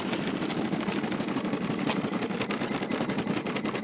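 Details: Luyuan e-bike with a brand-new Daymak 500 W 48 V hub motor: a rough, rapid buzzing stutter and shaking instead of a smooth hum, and it won't move with a rider, only acting up under acceleration; owner suspects wiring, controller or throttle.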